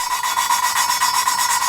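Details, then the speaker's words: Lapping a valve on a 2JZ-GE VVTi head with a wooden stick and Permatex grinding compound (120 grit wearing to 220): rapid scratchy back-and-forth rasp, several strokes a second, gritty edge as fresh coarse compound cuts the seat. "this valve grinding compound from Permatex it starts out as a 120 grinds down to a fine 220. and you'll hear it so here we go wax on"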